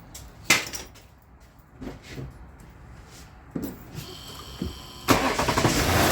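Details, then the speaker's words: Lexus LS460 V8 in for misfire, started before code check; brief metallic rattle at start-up then settles, attributed to oil starvation; no codes or misfires found afterward. "Heard that little rattle. It was oil starvation."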